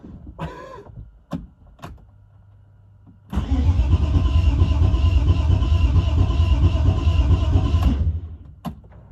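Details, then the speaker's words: BMW E36 project car with new gas tank and temporary exhaust: starter churns steadily for about five seconds with no firing; the engine cranks but won't catch because the fuel lines are still empty, and the pump is heard kicking on. "Ain't no fuel in the lines. It's gonna take a second. Yeah. It sounds like pumps kicking on."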